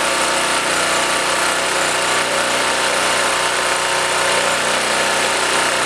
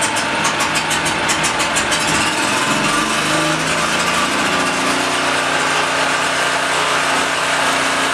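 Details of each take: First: Blue Max Gen4000B generator, sat for a few years, carburetor replaced: small engine runs steady with a raspy buzz only while choked; runs only on choke, lean mixture suspected. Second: Blue Max Gen4000B generator after cleaning, clearing fuel paths, opening valves, clean spark plug, air filter and casing refitted; pull-start chatter then catches and settles into an even steady hum, running properly.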